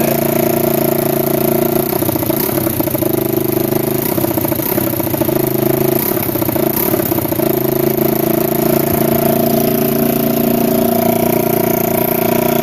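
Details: 1987 Kawasaki Mojave 250 ATV, neglected after long sitting, second start after tightening the exhaust manifold: single cylinder holds a fast, unsteady idle with a raspy puffing edge; the choke is missing and its port is plugged with a small orange plug, causing the high idle, plus an exhaust leak.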